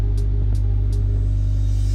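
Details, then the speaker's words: Honda Civic EK3 after fuel pump, fuel filter, radiator and battery work: deep steady droning rumble with faint ticking, car body vibrating along with it; owner notes fuel pump noise, cause not confirmed. "oh elle fait vibrer la bagnolemonétis quo que vu comment ça"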